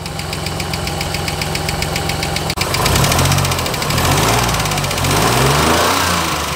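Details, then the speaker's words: 1986 Nissan 300ZX, first start after sitting with bad fuel, oil slightly low: rough idle with fast light tick about three to four per second; first thought rod knock, then judged a lifter. "oh my god it idles kind of sounds like it has a rod knock nah that's a that's a lifter"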